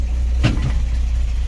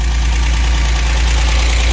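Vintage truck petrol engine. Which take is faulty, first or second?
first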